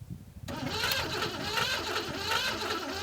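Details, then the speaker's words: 1970s Pontiac Phoenix, sat 20+ years: the starter cranks with uneven churning but the engine never fires. The fuel pump is pumping, but there is no spark; crank-no-start. "oh the fuel pump's pumping fuel right now that's not good either we don't want that so we don't have spark currently"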